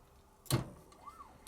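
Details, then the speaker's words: Old model steam boiler: a stuck clack valve ball is forced off its seat after the pump was freed by warming the valve chest. One sharp clack in a quiet background, then faint ticking. "This is the sound of a stuck clack valve ball suddenly being forced off its seat inside the clack valve."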